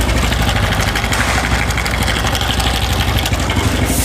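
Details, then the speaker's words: Honda Revo 110 (Revo Fit) motorcycle idling with a rough, busy metallic clatter on top of the engine beat; the noise is diagnosed as a worn, slack cam chain. "disini teman teman bisa dengar bahwa motor ini mempunyai suara yang berisik kita Dengarkan Sekali lagi Ya"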